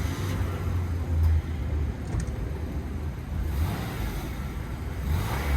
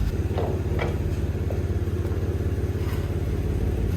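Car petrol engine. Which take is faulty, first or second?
second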